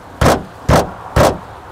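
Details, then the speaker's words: Mazda2 1.5L Hybrid Homura, heard inside the cabin: four hollow, resonant thuds about half a second apart when driving over bumps; bang over bumps, cause unconfirmed. "zgomotul ăsta îl aud în mașină Deci când mașina lovește adică mă rog dai peste niște denivelări și auzi zgomotul ăsta"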